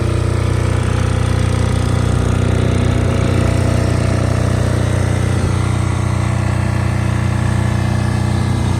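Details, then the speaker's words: Multi-power diesel generator (generator only, not a welder, about 5,500 watts), started about 5 or 6 times: even, steady low thump at constant speed with no knocks or misses; normal diesel running. "It seems to run really nice. I've had it running probably 5 or 6 different times."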